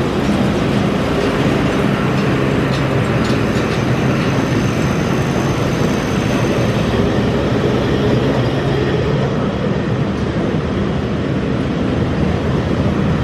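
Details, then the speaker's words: Massey Ferguson 40 combine harvester, believed 1996, restarted after sitting 3 years, needing the small clicking lift pump to run: loud, steady deep diesel rumble with no knocks or misfires, shaking the machine quite a bit; normal running. "never been on these things when it's been running and it does uh shake the machine quite a bit"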